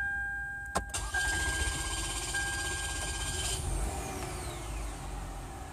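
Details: 2007 Toyota Camry V6 2GR-FE, over 170,000 miles, first start after new OEM Denso fuel pump replacement and ignition cycled three times to prime: starter cranks briefly, engine catches cleanly and settles into a steady, even idle.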